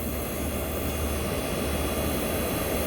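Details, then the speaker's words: 1965 Fedders Weatherwheel air conditioner on high cool, Tecumseh AJM compressor running: a constant low, smooth, unchanging hum with no clatter or rattle. Normal running, likened to a Chrysler compressor. "This is the Tecumseh AJM compressor running. So yes, guys, you might tell me this sounds like the Chrysler, but you are right."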